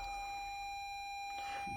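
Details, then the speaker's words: Toyota Highlander hybrid, 2,923 miles, not started in days, shift lever in P, just under a quarter tank of fuel, brake pedal pressed: steady high single-tone chime, no engine or motor sound; hybrid system stopped warning, no start. "I'll This car will not start. I will lightly press the brake pedal this time. Nothing."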